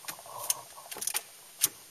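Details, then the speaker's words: VW car, power reaching ignition through clutch switch: turning key gives only a few faint sharp clicks, no cranking; suspected starter motor not getting enough power, not confirmed. "Do you hear that click? So the hypothesis is that click is the starter motor, and it's just not getting enough power to it."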